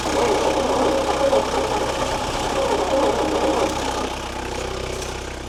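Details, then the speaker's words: Long-sitting 1972 Bedford J series truck petrol engine, ignition timing just corrected at distributor, runs only while fuel is tipped into the carburettor (owner wonders if the jet is blocked): rough, uneven ragged beat that fades as it starves. "Doesn't sound real healthy. The old engine. She's still only running off when I tip into her."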